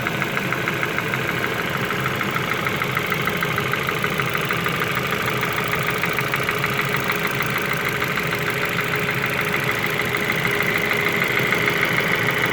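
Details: Ford Focus 2 at steady idle: sharp regular tapping at roughly two per second rides over the engine; engine knock, source not yet pinned down.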